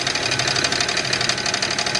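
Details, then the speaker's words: 2001 car with GM 3800 Series II V6, knocking heard all through the drive home: quick, sharp, evenly spaced metallic knocks over the idle, knocking badly; owner unsure whether it is internal engine (pushrod, head) or not. Engine knock, cause unconfirmed. "but this is 3800 right here series 2 and it's knocking like hell right now"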